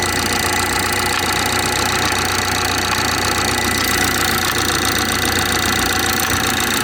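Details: BMW 430i xDrive, B46/B48 4-cylinder, cold start in cold weather: steady, fairly loose knock about four a second over the cold idle hum; origin unknown.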